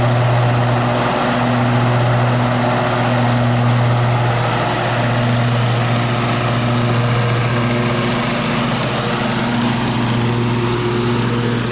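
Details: Cub Cadet Z-Force S 48 mower after replacing deck spindle housings, pulleys and blades (center grease fitting replaced): steady even engine drone with smooth deep hum, no knocks, scrapes or blade wobble. Normal running after repair.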